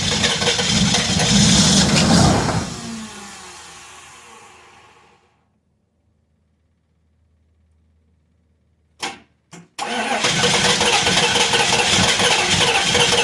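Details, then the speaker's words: 1993 Chevrolet K3500 6.5 turbo diesel dually at 20°F (-6°C), after radiator and harmonic balancer replacement: diesel clatter fades, brief cranks, then it catches and settles into steady running with heavy smoke; healthy cold start. "yep that's a smoke show"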